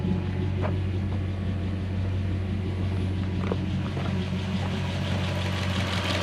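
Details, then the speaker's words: Mazda B2500 ute with swapped Toyota 1UZ-FE V8 after repairs: a quiet, low, even idle with steady rhythm; the earlier popping and loud, harsh injector ticking are gone. "you notice it's also that the lots of the ticking is gone are they real loud harsh checking because of those big injectors widen it down"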